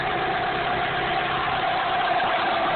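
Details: 1998 Dodge Neon 2.0L DOHC engine revved, with a thin steady accessory-driven whine above the engine rush; owner suspects the water pump, not confirmed.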